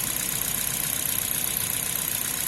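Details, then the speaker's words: Toyota Corolla engine idling after removing the accessory belt, which revealed the water pump making noise; steady even idle with light whir, no knocks or rattles, only characteristic original engine sound; normal idle. "não faz um barulhinho só barulho original característica do motor mesmo"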